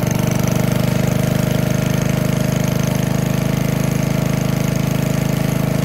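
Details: 1951 Briggs & Stratton 6B-SF, 1.75 hp, rated 3600 rpm, barn find, cold start at about 30°F with choke after governor spring moved to slow rpm: even, steady single-cylinder putter at moderate speed, no misses or knocks; running smoothly.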